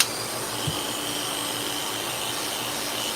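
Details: Hair clipper after its blade socket was squeezed to reduce play: even, steady high buzz with constant pitch and no clatter or rattle from the blade; the clipper runs smoothly.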